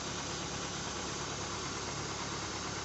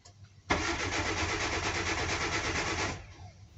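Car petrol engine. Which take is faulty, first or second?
second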